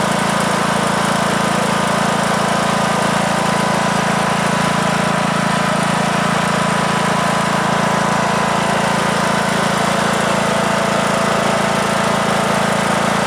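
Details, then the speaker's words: 2003 Simplicity Regent lawn tractor, 19-year-old Briggs & Stratton single-cylinder engine, restarted after about 10 minutes of driving; smoke has cleared (owner suspects oil past piston rings from sitting); steady even thrum, running okay. "so all right seems to be running okay i uh i'm happy with that"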